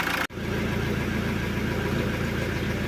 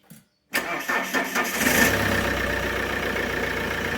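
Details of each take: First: Alfa Romeo 147 1.9 JTD 8-valve diesel with P1320 crank-no-start-when-hot complaint, hot restart after repair, battery a little low: short crank, catches at once and settles into a steady, even idle with no stumble; clean hot start. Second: Alfa Romeo 147 1.9 JTD 8-valve diesel, hot engine, fault code P1320: short burst of starter cranking, then an uneven low rumble that settles; crank no start when hot, cause unconfirmed.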